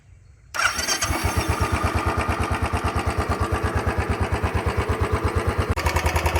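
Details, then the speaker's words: Royal Enfield Bullet 350 BS6, about 4 years old, after service fixing a tick-tick noise, ridden 50-60 km since: single cylinder starts and settles into an even, steady thump about three beats a second, no ticking or knocking. "तो भाई देख रहे हो कोई भी अब extra cut cut cut cut की आवाज नहीं है जो इसकी मतलब प्रॉपर एक इंजन वाली आवाज थी वही आवाज अब इसमें आ रही है कोई भी एक्स्ट्रा नॉइस नहीं है नॉकिंग की कोई भी आवाज नहीं है"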